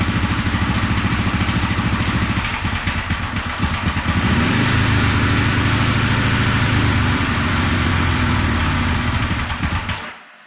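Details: 1974 Honda CB450 twin, sat for years, start on remote fuel with timing light hooked up: uneven, sputtering ragged firing as revs rise and fall, popping through the carbs; ignition timing about 20 degrees off, later corrected with timing light.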